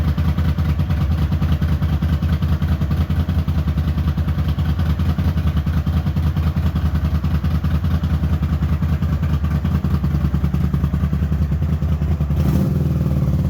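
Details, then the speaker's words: Honda GL400 Silverwing twin idling before carb strip, previous owner reported a left-side problem: lumpy, uneven low thump about 2.5 beats a second. "kind of wants to go kind of want it to go simply remember when this the guy said it had a problem on the left side which I've got to kind of look at"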